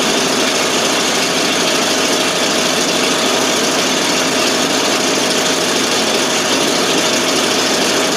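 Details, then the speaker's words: 1988 FMC 6000 with a 5-speed, just started after a long hard start (no fuel was reaching the carb, starting fluid used): loud, hissy, steady exhaust idle with no stumbling, now running by itself. "Now it's running all by itself."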